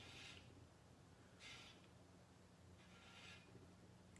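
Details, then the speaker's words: Bicycle wheel on a truing stand during radial truing, after lacing and lateral truing: short raspy scrape about every 1.5 seconds, once per turn, as the rim high spot rubs the gauge arm; maybe about 1 mm adjustment needed. "So I'm just going to keep doing this until it scratches. There's some scratching. Didn't hear it that time. I'm going to have to bring this arm in just a little bit. Now it's going to scratch."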